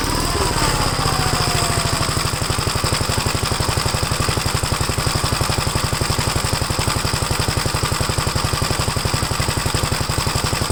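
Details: Gravely single-cylinder engine just after first start following gas tank install and new battery terminal: steady putter about four beats a second, running rich on choke; choke later turned fully off and it runs all right.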